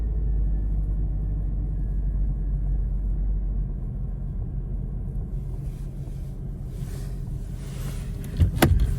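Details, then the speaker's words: 2000 Jeep Cherokee XJ, brought in as a crank-no-start, now started and idling: low, steady, quiet rumble with no ticking or knocking, then some door or window noise; normal healthy idle. "figured let me start her up so you guys can hear what she sounds like. Nice and quiet."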